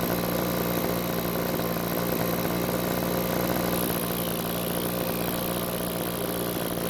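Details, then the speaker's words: Backpack blower two-stroke on a test run after carburetor reassembly with the check valves not parallel to the diaphragm: a flat, strained, unchanging pitch that never climbs to full speed, showing bogging from misassembled check valves. "after we get the carburetor back on the engine i'll try to test start the engine remember this is a test run to show you what happens when the check valves are not parallel with the rest of the diaphragm"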